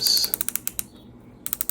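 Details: Ozempic injection pen dose dial being turned to set the dose, up to the 5 mg maximum: a quick run of crisp, sharp clicks with a short pause partway through; normal dose dial clicks.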